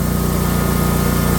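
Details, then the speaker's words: 50-inch Cub Cadet zero turn after the fix, started using the battery so the fuel shut-off solenoid at the carburetor gets 12 V: steady, even low putter with no misses or surging, normal running; regulator charging at 14.2 V. "Alright, I finally got it started, and what I had to do was start it using the battery."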